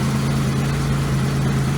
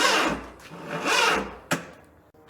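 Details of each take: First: Low, steady idle hum with an even beat and no knocks or stumbles from a barn car started after sitting about 3 years; engine idling cleanly and healthy. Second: Barn car, sitting three years, fed by a booster pack: five or six short cranking bursts, each dragging slowly and never catching. Starter labours; booster pack thought weak or a bad connection, and engine later seems down a cylinder.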